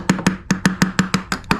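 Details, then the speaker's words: Berger yacht fiberglass threshold near a long-term water leak, tapped during a void check: crisp, ringing taps about every fifth of a second with no dead thud, solid all the way up, in contrast to the rotted hollow section nearby. "so there's the difference solid all the way up through here"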